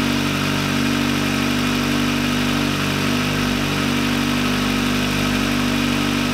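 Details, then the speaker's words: VW Lupo 1.8T with GT30 turbo, first start after engine damage and rebuild (H-beam rods, new bearings, 2 mm head gasket): smooth, even idle with a steady hum, no ticking, knocking or stumbling; runs very well. "alles ist fertig also der wagen läuft sehr sehr gut erstaunlich sehr sehr gut da bin ich auch bisschen stolz ja läuft sehr sehr gut"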